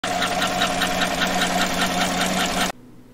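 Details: 2014–2015 Chevy pickup with L83 V8 at idle: a soft, fairly regular lifter-type tick about two to three times a second, quieter than a typical collapsed lifter; cause not yet isolated.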